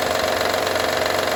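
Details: 2012 Honda Odyssey: steady fast metallic rattle from the engine bay over a smooth idle, constant with no speed change; source of the rattle unclear.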